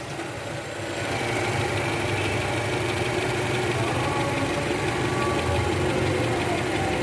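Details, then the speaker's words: 2012 Toyota Camry 2.5 V, 2AR 2500cc engine, over 100,000 km, cold start idling in R: faint loose quick "kretek" rattle heard by stethoscope at the oil pan, gone when warm; worn, slack balancer shaft, replaced. "nah ini guys ada bunyi Kretek tek tek tek tek tek ini posisi R tadi saya sempat dengerin pakai SpongeBob di area panci oli itu jelas banget suaranya Kretek tek tek tek dan ini indikasinya balancernya oblak guys"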